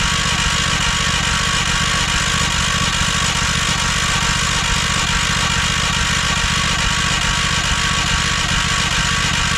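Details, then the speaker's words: 1968 John Deere 140 garden tractor after mouse-nest removal and new parts, with carb cleaner and choke: loud steady cranking with uneven half-hearted firing and exhaust smoke, never catches; owner suspects flooded carburettor. "I'm seeing smoke coming out of the exhaust. It's trying."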